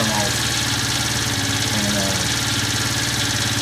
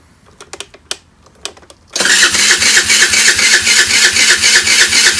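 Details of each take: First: 12-year-old Chinese scooter, about 430 miles, now starting after weak-battery no-start was fixed with a charger boost: small single-cylinder buzz holds a steady idle with no stumbling or dying out; sounds healthy. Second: 12-year-old Chinese scooter, about 430 miles, with spark, fuel and good compression, on a small new battery: quiet clicks, then steady rapid starter whirring about four beats a second, no catch; battery not putting out enough power.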